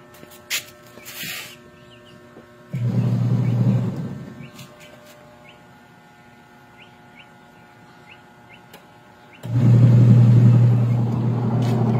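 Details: Orofan washing machine after gearbox replacement, fan belt refitted between motor and gearbox: two strong bursts of steady motor hum as the drum agitates, no grinding, slipping or knocking; normal agitation after repair.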